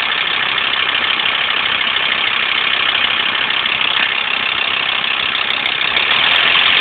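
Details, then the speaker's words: VW LT35 diesel idling, run without its pump contraption: harsh metallic rattle about three clatters a second over the idle, likened to a bag of spanners; source unclear, belt mentioned. "you can hear it from me like rattle rattle rattle rattle"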